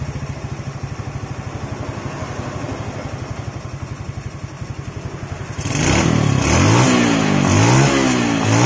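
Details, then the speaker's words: Yamaha Jupiter Z carbureted single after repair: the leaking auto fuel tap's vacuum hose was plugged with a bolt and the air screw set about one-plus turns out. It now holds an even putt-putt idle, no longer stumbling, with crisp throttle blips. "langsamnya nah perhatikan beda banget kan langsamnya langsung stabil seperti ini enggak kayak tadi ya berebet-breerebet stabil ya langsamnya"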